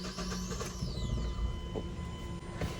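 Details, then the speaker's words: 2009 Mazda 5 2.3L, heard from inside the car at cranking and when put in drive or reverse: low buzzy rumble with scattered rattly knocks from a worn engine mount, usually the passenger side, later replaced. "got a 2009 Mazda 5 the car has an engine mount rattle basically when you crank the car"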